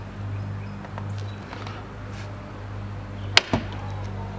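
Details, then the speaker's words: Early-build Tesla Model Y (around the 900th produced), rear hatch misaligned and catching on something as it opens: liftgate motor hums steadily, then a sharp snap and a second thud; horrible binding noise, cause unknown. "number two the rear hatch itself didn't seem to be aligned properly and was getting hung up on something when you opened it making a horrible noise listen to this"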